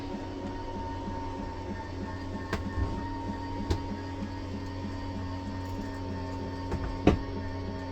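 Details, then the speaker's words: Slide-out on a 2014 Forest River Sunseeker 3170DS Class C RV: a steady motor drone, then a quick repeating click about twice a second once fully out; this slide has no limit switch, so release the button when the clicking starts. "And a little clicking now. Stop. When you hear that clicking noise, you need to let go because it's just going to keep trying."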